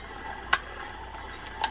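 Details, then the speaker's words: Penn Spinfisher 750 (possibly 750SS) spinning reel: two sharp metallic ticks, one per handle turn, as the bent, low-riding bail hits the rotor; needs adjusting up. "You've got a bail that's riding low. So you hear that every time right there it's hitting. That's what you're hearing when it hits."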